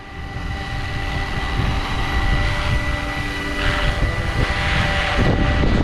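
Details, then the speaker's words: Roban Bell 407 RC helicopter hovering after a re-gear: steady electric whine with even rotor chop and no gear grinding or rattle. It is much quieter than before and the new drive gears sound smooth. "I don't hear gear noise in that whatsoever oh my God that's so much quieter"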